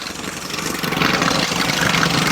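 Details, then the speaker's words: 1984 Chevy Citation salvage-auction car, long unstarted, after adding about 1.5-2 gallons of fuel and pouring some down the engine: catches and settles into steady, slightly uneven idle with light rattle; running again. "it's running holy crap she's running yes yes yes"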